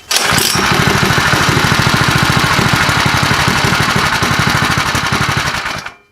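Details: Freshly built Predator 212 Hemi single-cylinder engine with aftermarket cam and aluminum flywheel, on its first run; lumpy, cammy, uneven beat that stumbles and sags near stalling, possibly fuel-starved. Rough running, near stalling.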